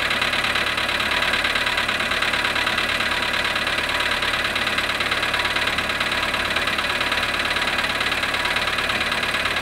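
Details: VW Polo sedan, cold start at -7.5 °C after sitting 12 hours. At cold idle a steady tapping knock, about three beats a second, sits above a smooth engine hum; cause unclear.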